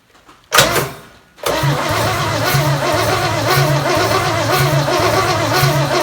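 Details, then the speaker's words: Chevy 283 V8 Marketplace find, first start on the shop floor with jury-rigged battery cable, before timing set: catches after short crank, lumpy uneven idle with recurring stumble; owner suspects a dead cylinder, unconfirmed. "happens sounds a little uneven like it might have a dead hole but we'll see"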